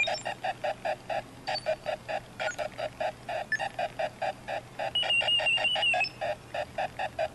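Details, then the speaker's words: Homemade Arduino barometric altimeter with a speaker at startup: quick beeping about four per second, then roughly a second of crunchy, uneven buzz. Caused by a timer conflict between SoftwareSerial and Tone; disabling SoftwareSerial writes to the LCD removes it. "it sounds like there's an interval did it did it and there's a there's a sort of short period of time and that interval where it sounds really crunchy it's not a perfectly smooth value"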